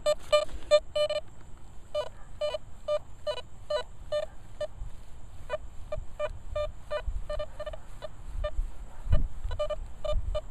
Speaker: Okay, it's faint. It's repeating. Let's kick it up to 2.